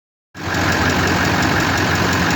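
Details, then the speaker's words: LB7 Duramax diesel idling on Marvel Mystery Oil fed directly through the fuel lines to clean injectors: fast regular tick over the clatter, owner thinks one injector; known idle hazing history, unconfirmed. "you can hear a ticking and I think that's one of the injectors"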